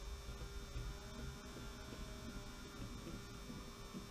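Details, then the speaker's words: 16-year-old model railway power controller lashed up to drive a funicular railway: steady, unchanging loud electrical mains hum over faint background noise; controller to be replaced. "the humming noise you can hear is this old controller which I've lashed up which is really annoying I have to say"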